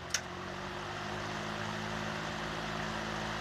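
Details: Vintage Emerson box fan after restoration, reassembled and oiled, switched back to high: brief click, then a steady airy whoosh with a low, even motor hum; runs smoothly on high.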